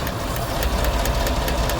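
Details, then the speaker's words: 2017 Silverado 5.3 L, 25,000 km, AFM deleted, P0324 knock code, run on four cylinders with coils unplugged: sharp ticks about four to five per second over idle; number four exhaust pushrod bent again, same one replaced a year ago. "that one seems to be kicking well there's the push rod out of number four exhaust same one that was missing when I changed it before"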